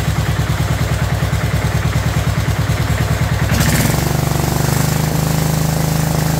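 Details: Abandoned 2004 Murray lawn tractor, Briggs 12.5 HP OHV single, first run: uneven loping thump firming into steadier drone, flooding rich on choke with excess fuel; flooding cause later fixed and carburetor adjusted.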